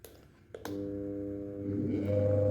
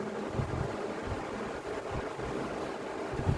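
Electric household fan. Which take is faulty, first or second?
first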